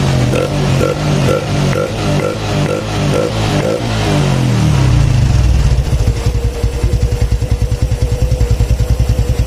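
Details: Honda Supra X 125 fuel-injected single after tune-up, air filter not yet fitted, tensioner now full of oil: revs drop to a steady idle at about two beats a second with no rattle; normal idle.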